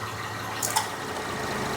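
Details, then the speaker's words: 2007 Honda Odyssey with no AC from a failed AC clutch relay, after relay replacement, at idle in a 12 °C shop: even hum with a smooth steady whir as the compressor cycles in, no rattle or squeal. Normal AC compressor running. "can hear the compressor running well let's evaluate the AC system now oh it turned off mind you it doesn't need much cooling today there it goes"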